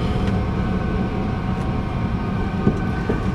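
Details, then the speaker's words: 1994 Ford F150 5.0 V8, 5-speed manual with new clutch, under 118,000 original miles, recent synthetic oil change and coolant flush, recorded driving around 40 mph with the camera stuck to the window: a deep, steady rumble, no knocks, ticks or whine. "So, let's go for a ride real quick, folks. I want to show you how smooth it is."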